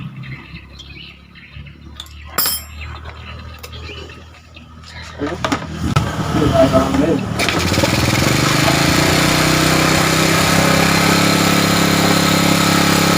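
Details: Old Honda Supra motorcycle single after repairing a leaking valve causing lost compression and refilling oil: handling noise, then it catches and runs evenly with no misses or knocks; some loud chain noise noted.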